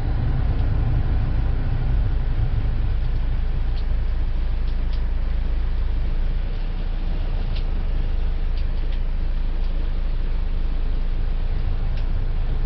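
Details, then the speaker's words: 2012 Buick Verano new replacement blower motor on high speed: steady, even low rush of air with no squeal, ticking or grinding; working normally after replacement. "okay looks like it's working hopefully you can hear that that's high speed"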